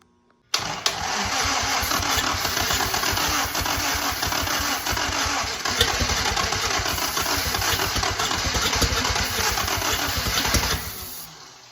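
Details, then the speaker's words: WWII 1943 Willys Jeep Go Devil engine, unrun for decades, first start with timing being dialed in: it catches and runs rough and uneven with the starter still dragging it, a small backfire, firing but not yet running on its own. "We're doing good, just not quite there yet. A little bit of a backfire, burn a little bit of hair, but I'm tickled pink."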